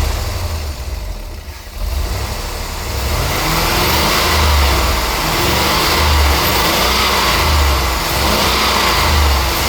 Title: Auto Repair-bad ignition coil, watch the side of the case for the tracking spark.... #misfire